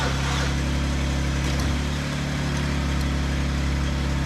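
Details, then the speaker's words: 2012 Chevy Cruze with the engine just installed, jumped from a Jeep: a steady starter whir with uneven compression pulses, speed picking up slightly but never catching. "Alright, definitely don't sound very good."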